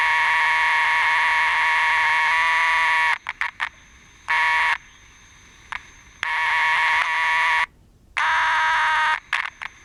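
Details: Transistor radio audio amplifier stage: the signal is clean at the volume control but garbage after the driver transistor, despite removed resistors and a replaced driver transistor and capacitors. Harsh, buzzy, choppy, distorted speaker tone cutting in and out. Audio amplifier distortion.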